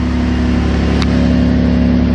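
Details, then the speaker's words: Saturn Aura 3.6L V6 after rod-knock repair, on a half-dead battery: smooth even idle with steady low hum, no knocking on startup unlike before; healthy running. "i don't hear a knock this time it's actually running rather well"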